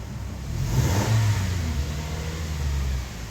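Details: 2017 Toyota Tacoma, 68K miles, after a crank-no-start fix using a homemade key antenna coil. Engine blips up smoothly and settles back to an even, steady run with no misfire or stumble. Running normally.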